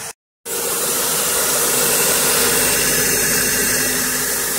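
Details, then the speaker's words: Renault Scenic 1.6 after a water pump, timing belt, spark plug and oil change, first start with no coolant yet and a slow prime; the hard start was put down to oil in the hydraulic lifters: steady, even idle under airy hiss, no knocks or misfires. "it must have just been down to the oil um this is gonna smoke a bit from the engine because they do actually sounds okay already"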